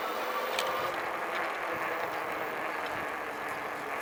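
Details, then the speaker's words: Volteco CYBER electric fatbike under way after repair, camera on the handlebar: steady, even motor and tyre hum with no squeak or creak. Frame pivot-joint squeak fixed, chain lubed; normal hub motor running. "Не, вообще, блин, нету ни скрипа, ничего, вообще. Только звук мотора, все."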